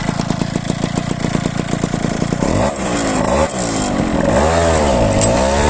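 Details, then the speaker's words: Ciao moped with a Polini 65cc kit: a steady two-stroke buzz, then revs sag and hesitate on pull-away; this flat spot comes from the variator torque spring being too soft, not from carburation, and the spring is to be replaced with a stiffer one. "Alors, tu as vu qu'est-ce qui se passait lors de l'accélération ? Donc c'estàdire que la joue se rapproche comme ça. Donc on va changer le le ressort de poussée parce qu'il est trop souple."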